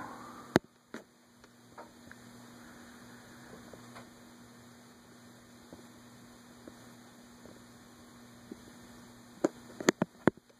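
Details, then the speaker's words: Envirofan Gold Line 36" industrial ceiling fan model 136F, 2012, mounted close to full rafters, running at medium-low on a custom four-speed control: quiet, steady low hum, few handling clicks, no rubbing or wobble; moves good air, runs smoothly. "I'm surprised at just how much air it moves with it being so close to the rafters and the rafters being full of stuff."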